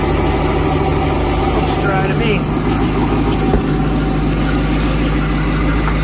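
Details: Volvo Penta boat engine after work on clogged exhaust manifolds and risers refitted (exhaust alarm had occurred at wide open throttle): steady, even low idle rumble, no misfire, knock or hunting; normal idle after repair.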